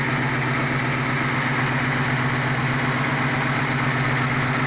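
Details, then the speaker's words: Mustang 302 V8 with 750 cfm double-pumper carburetor, running after sitting two years and ignition rewiring to fix shorts: steady, even idle with deep smooth lope, no knocks or misses; sounds healthy. "but as you can hear here she is running good sounding good it's sounding amazing it has a 750 cfm double pump carburetor on it"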